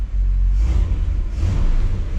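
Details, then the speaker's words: 1959 Chevrolet Bel Air, 348 V8, Rochester 4-Jet carburetor, after repairing accelerator pump: deep V8 rumble swells cleanly on throttle and settles with no stumble; earlier hesitation much better. Normal rev response. "let me crank it up and we'll see how it hesitates still oh much better oh wow what a difference"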